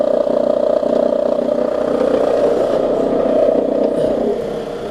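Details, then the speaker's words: 2002 Toyota Camry with 220k miles, after new plugs, ignition coils and valve cover and a throttle body cleaning: steady rattly whir over an even idle, suspected belt tensioner, which quiets once warm; idle is much improved. "that's a little better so obviously we got a little more work to do i think that's coming from the that's coming from the belt tensioner there"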